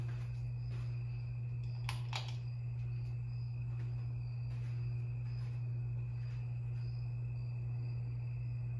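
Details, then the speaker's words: 52-inch Harbor Breeze Lakeside II ceiling fan before restoration, cracked and partly melted capacitor; runs only on low on all three speeds with loud steady hum, failed capacitor, to be replaced. "only works on low on all three speeds and it has a bad capacitor it's it's very bad it has couple of cracks in it and it got melted it got melted a little bit yeah and it makes a humming noise makes a the humming noise is a little bit loud"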